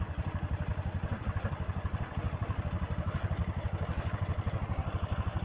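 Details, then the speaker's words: Honda Supra motorcycle being repaired for smoking, just reassembled: single-cylinder steady idle with a light even tik-tik-tik. The ticking is valve clearance that needs readjusting; before disassembly it made a different tak-tak noise. "setelan sini ya yang bunyi tik tik tik itu loh Itu setelan klep Lur"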